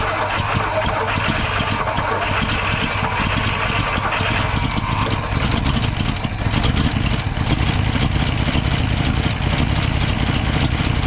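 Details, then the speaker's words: 1962 Ford F-350 with recently rebuilt carburetor, jump-started: uneven, lumpy idle that keeps sagging as if about to die, choke partly on; fuel overflowing the bowl and out the vent, more tuning needed. "we're still overflowing the bowl all right so sort of idling i think i've got to do some more tuning on it"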